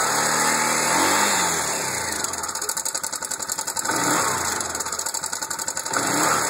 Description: Valves or timing chain or?